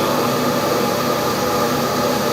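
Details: LG clothes dryer that was not heating, after replacing open high-limit switch; steady even whoosh of drum and blower, no knocks, squeals or scraping; running normally.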